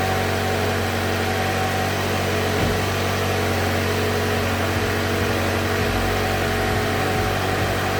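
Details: 2015 Mazda 3 GT with the Skyactiv engine, started just after replacing the OEM spark plugs and refitting the engine cover: steady, even idle with a smooth low drone and no misses, ticks or knocks; normal idle.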